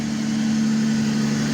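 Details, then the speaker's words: 2005 Toyota Avalon V6 idling with no warning lights: steady hum with a raw, noisy edge instead of a quiet purr, from a leaking front exhaust flex pipe. Owner also suspects worn belts. "but you can hear the motor's noisy because there's a a leak on the flex pipe um in the engine well no not in the engine but in the front here"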